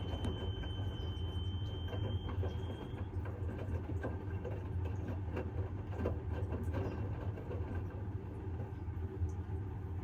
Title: Bosch - Very strange noises + unbalanced spin